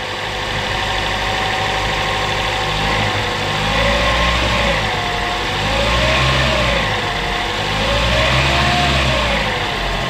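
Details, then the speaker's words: Toyota Camry Hybrid, 2013 US car with high mileage that would not start, after the repair: smooth, even revs rise and fall with no misfire or knock; all cylinders are now working. "ces deux cylindres démarrent en fonction de la température d'échappement tous les cylindres fonctionnent"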